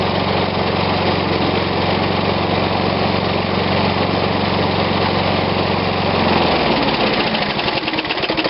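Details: Old Snapper push mower, Briggs & Stratton engine dated Dec 1987, refurbished, last startup before oil change with a little choke: steady fast single-cylinder patter then speed drops near end, clean and even; normal running.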